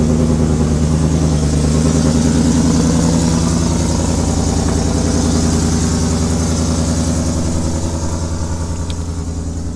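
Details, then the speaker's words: Ford F150 Shelby V8 with new longtube headers, idling lumpy with a sharp puffing tick in the exhaust beat and a quick rev; exhaust leak at the header flange, supplied gasket too small, fix planned by V-band. "so let's get this truck started um sounds pretty dope besides the exhaust leak but it's here"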